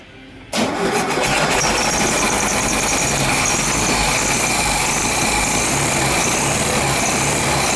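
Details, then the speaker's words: 1973 VW Beetle after pump replacement and engine service, timing arbitrarily advanced: engine catches and runs fast with a harsh scraping rasp; slightly bent pulley rubbing the hammered sheet-metal engine tin. "esse barulho esquisito é porque a polia ela infelizmente ela tá pegando naquela chapinha que eu martelei tá"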